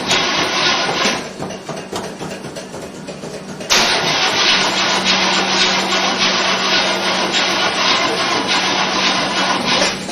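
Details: 1968 Chevy Impala with pedal pumping: labored, uneven cranking at about three and a half turns a second, dragging on without catching until the battery gives out; weak battery or bad starter suspected. Slow cranking, no start.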